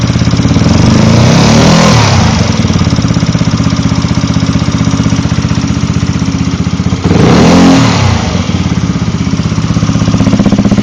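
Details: Zuma 125 scooter: quick light tick about four a second from fan area or just behind, rising with revs at idle and revving; cam tensioner or lightweight fan suspected, tensioner reset planned to verify.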